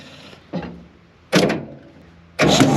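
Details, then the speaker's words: Early-1960s John Deere 2010 crawler dozer being revived, cranked with the glow plugs removed to expel water from the cylinders: three short starter bursts turn it over without firing or compression. "Now we're gonna take out the glow plugs up here, bump it over, get any water out of the cylinders."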